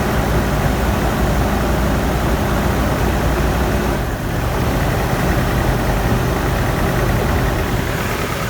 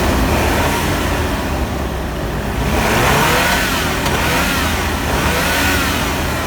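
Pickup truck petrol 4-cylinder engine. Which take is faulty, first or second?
first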